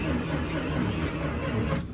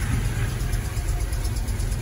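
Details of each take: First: Slow starter cranking with a squeak on each turn and no firing yet, from a 1978 Plymouth Volare Super Coupe on a fresh battery, before fuel was added; it sat 3-5 years after about a decade parked, and seems to have some life. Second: 1978 Plymouth Volare Super Coupe, unrun for about 3-5 years after roughly a decade of sitting, first start after pouring fuel down the carburetor; steady, deep low rumble, even with no misses or knocks; normal idle.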